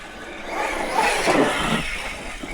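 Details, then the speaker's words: Arrma Kraton 6s RC car under load after shimming the rear differential spider gears: drivetrain and tire rush swells smoothly. Gear mesh sounds slightly different but not bad, and the earlier clicking is gone. "Nope. Mesh definitely sounds a little different in there. But it doesn't sound bad. But the clicking noise is gone."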